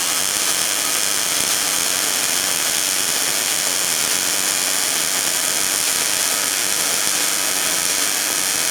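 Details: New Miller Millermatic 211 MIG welder on auto setting, running a bead on a beveled joint at about a 10-degree angle, half an inch away: steady, even frying hiss with no pops or sputter; smooth, consistent welding.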